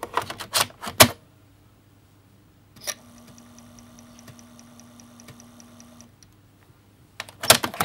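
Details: Amiga 500 internal floppy drive loading the Workbench disk: low, steady spindle hum with quick regular head-stepping ticks as it seeks; this drive sometimes fails to load some disks, owner suspects it needs a clean, so it may be reading poorly.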